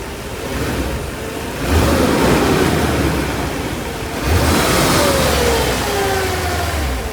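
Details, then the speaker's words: 1991 Mercedes 500SL (R129, M119 V8), warm, with a high idle once warm: after each throttle blip the revs hang high and sink slowly back to idle. Owner unsure of the cause and wonders about the idle control valve. "it's kind of weird that it was hanging up right here when I was uh over here playing with the throttle"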